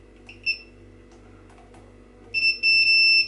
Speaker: yeah which seem to have good continuity wherever we need it yeah so I'm happy with that